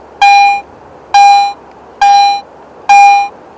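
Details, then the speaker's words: Garrett AT Pro metal detector, silver coin in standard mode: four identical clear beeps about one per second, same loudness and pitch, volume constant until target no longer detected; normal target response. "listen to this silver coin in standard mode notice that the volume of the response is always the same until the target is no longer detected"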